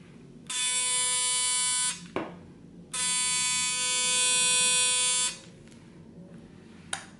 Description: When these start buzzing it's very loud and very annoying.